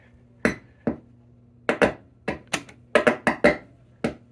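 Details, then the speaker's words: German Jmperial stereo set under restoration: sharp irregular crackles and pops over a low steady hum, a persistent static noise in the audio; cause not yet identified. "you hear that crackling noise that is crazy it's pretty consistent for a very long time"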